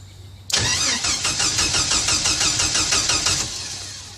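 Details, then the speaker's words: Jeep Wrangler YJ cranked via added momentary toggle starter switch with key out: rapid even starter whirring about three seconds, never catching because ignition is off. "okay you can hear the motor turning over but it's not going to start because I don't have the ignition turned on because I don't have the key in there"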